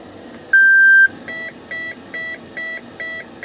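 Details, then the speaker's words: Horizon Hobby Viper 70mm EDF jet after an EC5-to-HXT 4mm connector mod on a 6S pack: a long tone, then six short even beeps as the speed controller arms normally. "okay guys listen positive and negative yeah baby I want to hear the six beeps again"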